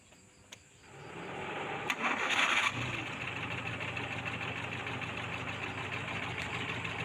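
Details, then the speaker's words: Suzuki Forsa with reported high fuel use and ignition leakage, after ignition work: cranks, catches and settles to smooth, even idle without misfire; running clean. "bagus, kawan. Suara jernih."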